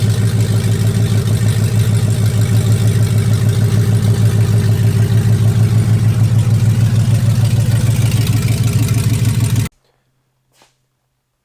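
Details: 2004 Dodge Ram Rumble Bee with swapped 6.1 HEMI V8 from 2006 SRT Charger, idling: deep loud even rumble, steady pulses about three per second; smooth, healthy.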